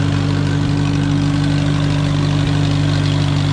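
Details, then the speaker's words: Allis-Chalmers WD tractor running for the first time in 25 years. A steady, even low thrum at a relaxed idle with no knocks or misses, like a sewing machine. Normal idle. "Looks like an Alice Chalmers that runs like a sewing machine. I like that. That sounds good."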